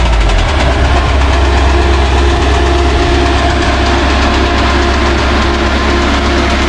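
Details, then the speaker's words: Cummins QSB 4.5L diesel started while being unloaded from a trailer: loud run with an uneven heavy knock under two per second hammering through, sounds about to throw a rod; severe engine knock. "sound sounds like it's about to throw a rod from what i hear which ain't good"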